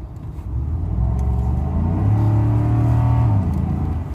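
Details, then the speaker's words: 2012 Ford F-150 5.0L V8 with stock intake, before Spectre 9976 cold air intake install; revs smoothly from idle into deep steady rumble and back, no knocks or rattles. "I'm going to show you what it sounds like before we put the intake in this is just with the stock intake"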